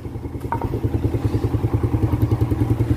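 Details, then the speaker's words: Vega ZR motorcycle after a heavy overhaul (long unused; leaking valve seals, corrosion from spilled battery acid), kick-started: steady, even low putter at idle with regular firing, no knocking or rattling; smooth like new. "mesinnya sudah hidup suaranya dengerin ya bedakan dengan sebelum kita lahir kemarin waktu pertama kali datang Hai halus seperti baru"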